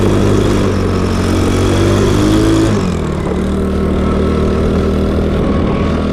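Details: Cheap Chinese mini quad with the cheapest eBay big-bore engine swapped in; exhaust possibly not fully connected, and the owner suspects too little fuel. The single-cylinder note pulls up, then sags and drops back; bogging, lacking top-end power, cause unconfirmed.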